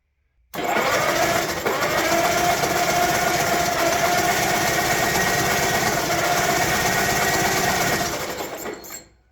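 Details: Old tractor bought locked up, in sub-freezing cold, no oil pressure showing and water found in the oil filter: quick, even whirring as the starter spins the engine briskly for about eight seconds without dragging or grinding; starter healthy.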